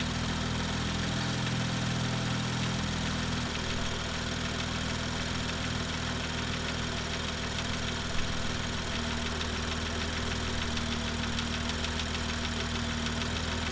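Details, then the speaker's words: BMW N55 engine, cold start warm-up, tapping begins once oil reaches about 25–28 °C: light, quick, loosely regular tapping over the idle; incorrect exhaust camshaft timing, fixed under warranty. "uh but yeah have a listen uh because it's obvious that there was something wrong with the [Music] engine"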